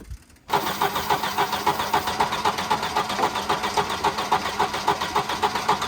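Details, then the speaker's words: Wrecked Volvo 240 B230 engine, previously stuck, run on starting fluid sprayed into an intake port: catches and chugs in uneven pulses about four a second, jumping around; fuel starvation, not getting enough fuel on its own. "Well, it wants to run. This thing jumps around a lot. Yeah, it's just not getting enough."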